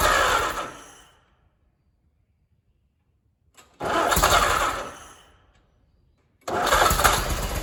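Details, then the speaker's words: Allis Chalmers WD tractor engine, first start after full rebuild, fuel and spark set, oil pressure checked: catches and runs briefly three times, steady then fading, sounding fairly healthy; owner suspects a fuel or carburetor float problem as gas leaks from rebuilt carb. "all right well looks like i might have a few little kinks here to work out on it but she started up sounded pretty decent"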